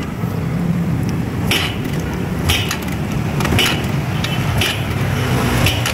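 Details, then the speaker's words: Barako 175 single-cylinder motorcycle after resetting the timing chain tensioner: low even idle with no chain clatter, only faint light ticks about once a second; earlier noise and stumbling gone, normal idle. "So narinig nyo diba tumahimik na. So nawala na yung kanilang andar na parang pumapalpal mga idol."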